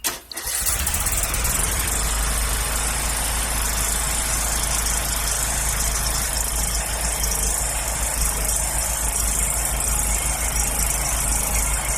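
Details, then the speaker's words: 2007 John Deere LA110 lawn tractor, cold start after a tune-up with fresh 90-octane gas plus NAPA carb cleaner and the deck refitted; it catches almost instantly and settles into a steady, even idle with no misses or knocks. "This will be a good cold start test and a test to see if the blades will turn and what the deck sounds like."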